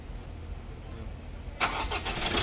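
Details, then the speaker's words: Ford Ranger 2.2L diesel, no-start from no fuel supply, fixed by replacing suction pump and clearing codes: starts at once into a clean clatter, no stumble, no check-engine light. "Ayan na- start na oh sig RPM gaay sig walang chick engin wala"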